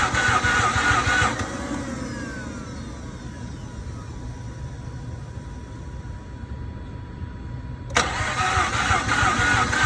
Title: 2007 Mazda RX-8 no start, engine is getting fuel